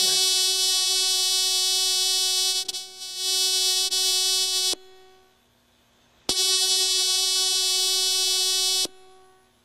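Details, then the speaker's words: High-tech LED headlamp with a driver circuit board: a bright, steady, very fast buzz as the circuit switches the LED on and off thousands of times, cutting cleanly with the lamp. Normal LED driver switching. "You can hear it buzzing very, very fast. This thing's turning on and off. This thing's probably turning on and off, you know, thousands of times"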